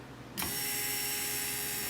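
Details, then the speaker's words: 2002 Volvo XC70 after replacing brake vacuum pump, switch and 15 A fuse, ignition on: sharp high electric buzz runs a few seconds until vacuum builds, then shuts off, returning briefly with each brake press; normal cycling. "And you should hear this pump buzzing for a few seconds until vacuum is in the lines. And then every time you hit the brake pedal, you should hear the pump come back on again momentarily."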